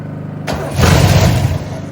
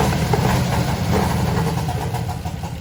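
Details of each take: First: 1968 Oldsmobile Delmont 88, sitting 30 years: the starter cranks, the engine catches in a short ragged burst, then fades, dying whenever the starter is released. Engine dies when starter released. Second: 1968 Oldsmobile Delmont 88 with 455 V8, unrun for about 30 years, first start after wiring fix: big V8 lopes at idle with an even low exhaust beat, slightly uneven, smoky and needing tuning but healthy and not noisy; normal idle.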